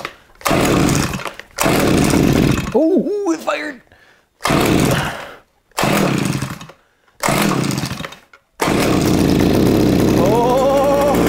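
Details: Eskimo Stingray 33cc two-stroke ice auger after fuel line replacement for a fuel leak: revs crisp and strong through several throttle bursts with no stumble or sputter, running healthy with no leak seen.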